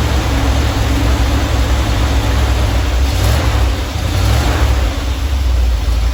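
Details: Normal warm idle from either the 1977 Ramcharger 440 or the 1968 D-100 318 being revived: a steady, even low V8 rumble with no knocks or misses. It runs at about 800 rpm with timing about 3° ATDC, reaching 185°F operating temperature.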